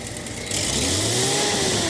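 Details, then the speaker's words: Datsun 280ZX with bad misfire that started that day, light rev: note lifts but runs uneven, random misfire audible in exhaust, no single dead cylinder; owner suspects coil or ignition control module, possibly cylinder 3 plug wire. "It's a random misfire on the cylinder. It's not like one cylinder is completely dead or something like that. You can even hear it in the exhaust."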